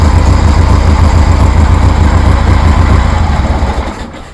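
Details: 1973 Harley Sportster with new knockoff Chinese CV40 carburetor, warm, no choke: even loping low thump about four beats a second, steady and clean before winding down; healthy warm idle.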